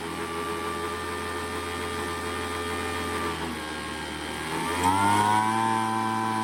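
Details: Craftsman two-stroke leaf blower after setting the carburetor low and high screws by ear: settles from a steady idle and picks up crisply to a high, clean rev without bogging, surging or over-revving; carb set well.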